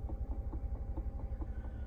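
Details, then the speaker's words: 2015 Nissan Rogue, engine running, no blower on any speed: soft regular tick about four or five times a second from dash; owner suspects bad mode or blend door actuator, blower motor also suspected. "that sounds like one of the mode doors or blend doors are bad the modules but I hope not"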